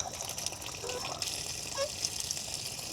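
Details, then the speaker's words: Woodford Model 17 outdoor spigot after a repair kit fixed its leak, water turned back on: a steady hiss of flow with brief gurgles as air burps out. Draining properly, no longer leaking. Normal faucet flow. "The water's draining like it's supposed to, but it's not leaking where it was before."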